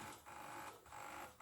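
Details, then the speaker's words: Repaired industrial welding turntable running forward on the foot pedal: motor hum in short even on-off bursts, about two per second, with no grinding or clicking; the pulsed circuit, whose pulse width the potentiometer sets for speed, runs normally. "so you can probably hear it pulls him and what that is uh this circuit then i guess must send a pulse like on off on off"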